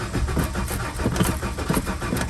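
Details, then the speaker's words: Ford F-150 300 straight six towed in with no-start, new distributor, plugs and wires: steady rhythmic cranking never firing; no spark, failed ignition module suspected overheated by missing heat-sink screw. "they're complaining about a no-start so before i do anything let's see if it does not start no"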